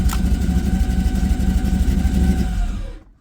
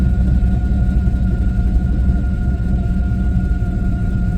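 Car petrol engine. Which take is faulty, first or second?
first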